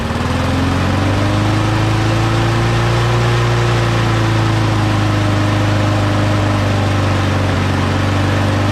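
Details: Small engine, just blown out and cleaned with an air compressor, reassembled and primed three times, holds a steady, fairly even run with a faint pitch rise and fall as it settles; it sounds healthy.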